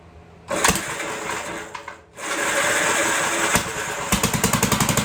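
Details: 1958 Gravely Model L single-cylinder, revived after sitting a year or more, throttle reconnected, holed muffler: catches, stumbles briefly, then steady even chug; runs fine, kill switch faulty.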